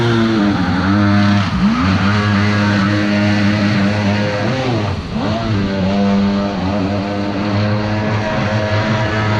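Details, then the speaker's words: Mini aluminum jet boat with Kawasaki 1100 triple two-stroke jetski engine, rebuilt with more compression: under steady throttle the drone sags and stumbles twice, revs dropping unevenly; running rough and getting worse over time. "as many jetboat it's just running worse and worse as time goes on out here so instead of just letting it blow up and getting stranded way out here we're gonna head back now"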